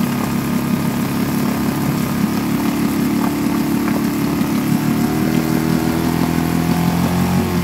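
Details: Suzuki DF2.5 2.5 HP outboard, long stored and not starting, after fuel tap and tank vent opened: steady, even putter with no misses or hunting; idles smoothly.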